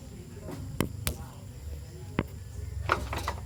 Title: ford Ecosport clunking sound (3rd gear on)